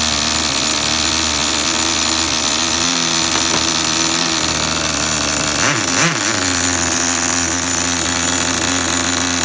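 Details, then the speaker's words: Tamiya TGS-R nitro RC engine: high, buzzy note settles into a steady idle that holds its pitch after a brief blip, no hunting or double idle; normal idle. "Do you hear how the idle does not change when I go from on the throttle to off the throttle?"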